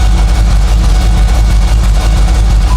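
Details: 2002 Ford SVT Lightning V8 with a newly built engine, aftermarket cams, and no retune, idling with a deep uneven beating, chopping misfire, traced to low compression in one cylinder.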